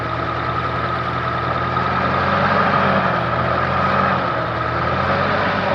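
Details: Continental F124 flathead engine salvaged from a fire-damaged 1952 forklift, first run after carburetor set to OEM spec: fires right up, steady even low drone with smooth firing beat, no knocks or misses, little smoke; running healthy.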